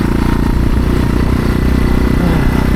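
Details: Motorcycle test ride with gearing changes (16-tooth sprocket): the engine bogs at low revs with a choked, struggling drone, near stall most of the ride, because the rear wheel was binding on the brake caliper or axle.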